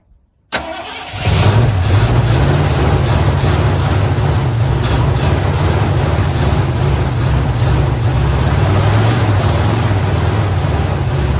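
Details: 1979 Ford F-150 Custom tool-body truck, sitting since 1999, restarted after fuel poured in carb bowls, ran three weeks earlier: catches after brief crank, lumpy uneven low idle; owner suspects stuck-open carb float giving too much fuel.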